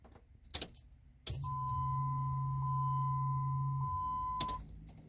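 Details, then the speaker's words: 2006 Jeep Liberty, crank no start after dying on the turnpike, fuel pump recently replaced, phone held toward the rear; at key-on a low hum runs about 2.5 s beside a chime: pump primes, but fuel delivery is not confirmed. "ready here we go again you hear it's like a low noise hum"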